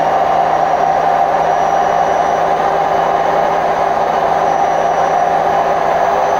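A constant hollow roar with a droning tone during spin, no thumps or banging; worn drum bearings growling as the tub turns.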